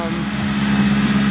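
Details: Car after axle and tie rod replacement, oils and system bleed, before test run: steady, even idle with constant low hum, no knocks or ticks; running normally.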